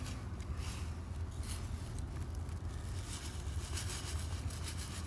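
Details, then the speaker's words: Gritty pebble-like rattle from a removed, gas-soaked charcoal (EVAP) canister on a 2010–2013 Chevy during fuel pump replacement; fuel got into the canister, breaking up the carbon pellets, so it is not going back on. "We have pebbles. The reason you hear that is cuz gas got into this charcoal canister and basically locked it up."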